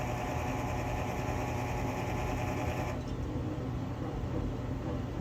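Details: Quadra-Fire CB-1200 Classic Bay pellet stove auger feed motor makes a harsh grinding whirr each time it feeds pellets. Its bearing seal leaks grease, leaving the gearbox dry so the gears grind, and the motor needs replacing.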